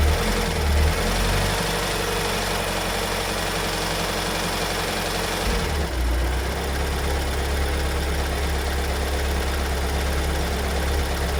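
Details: 2022 Kia Sorento MQ4 2.2 diesel, cold start and idle just after two weeks in dealer service: a loose, uneven knock of about a hundred a minute over the usual clatter; the car never did this before; cause undetermined.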